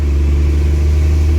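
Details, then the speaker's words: Truck "Otis" accelerating under load with a smooth, steady deep drone and no knocks, slipping or rev flare; engine and transmission pull cleanly and sound very healthy. "Like, Otis runs very, very, like, very well. It's a very healthy running engine. Alright, here we go."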